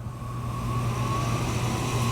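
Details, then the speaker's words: BBQ Guru CyberQ blower fan on a Kamado Joe Big Joe, top damper barely open, regulating to 225°F: even low hum with faint steady whir climbing slightly as it spins up; fan running smoothly, blasting air onto coals. "And it's basically just going to sit here and shoot little blasts of airs onto the coals and just regulate your cooker the entire time."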